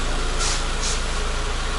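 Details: Renault Logan phase 2, 1.6 engine, manual gearbox, after clutch, clutch cable, hub bearing, shifter, ABS and rear beam bushing repairs: even, steady idle with smooth low pulse, no knocks or shaking; normal.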